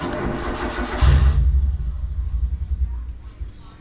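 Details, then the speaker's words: Mitsubishi 4G93 that dies after starting, with a low idle: it catches with a rough burst, then the rhythm sags into weak, uneven thumps and dies away, stalling after start. "Namamatay, no? Mababa ang minor."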